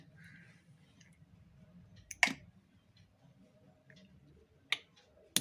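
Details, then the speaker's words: RO (water purifier) solenoid valve switched on, with its 2.5 mm orifice; clean, sharp single clicks each time it switches, with no buzz or chatter; a smooth sound shows the valve is working normally. "क्योंकि main चीज़ है आवाज़ से भी idea मिल जाता है, पता चल जाता है कि इसकी कैसी कंडीशन है एसबी की। क्योंकि अगर स्मूथ साउंड होगी और तो फिर ठीक पता चल जाएगा कि ये ठीक है।"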